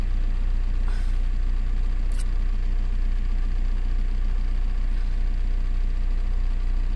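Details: Volkswagen Golf 4 TDI 115 after fixing a shaking, juddering idle from injector wiring harness, no fault codes left: steady, even low diesel rumble at idle with no misses or shaking; normal idle.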